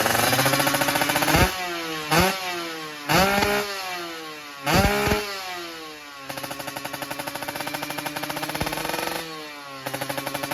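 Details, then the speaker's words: Kawasaki Ninja two-stroke with new Super Cobra exhaust, free revving: sharp throttle blips rising and falling quickly, then crackly dry idle; running somewhat lean ("dry") with the new pipe. "Nah, jadi ini udah kedengaran guys, udah rada-rada kering ya. Jadi teman-teman yang telinganya itu telinga motor 2 tak udah pasti tahu ini udah jelas kering ini."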